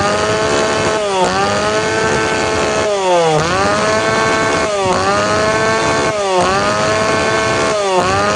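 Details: Tanaka PowerMate PMS340 two-stroke pruning saw, warm engine, after fuel delivery system repair; blipped every second or two, revs rising with a fuzzy, unclean edge; needs a little more tuning.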